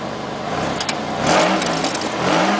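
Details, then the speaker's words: 1998 Oldsmobile LSS with 3800 Series II supercharged V6, muffler crushed in, likely from hitting a bump: two quick throttle blips with a harsh raspy buzz over the exhaust note as revs climb; raspy exhaust from crushed muffler. "something happened to my muffler kind of pushed in i must have hit a bump uh even though it is smashing i actually like the exhaust tone that it comes from it it gives a raspy exhaust note"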